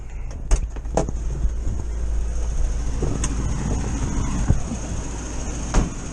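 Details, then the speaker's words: 1973 VW bus, air-cooled flat-four with electronic ignition, idling steady but too quick and busy after advancing ignition timing (from 27 to 30) to cure hesitation; high idle, later slowed with the throttle screw. "Yeah, that's whizzing over now. Just a little bit more than I want, so I'll get a screwdriver and we'll slow that down a bit."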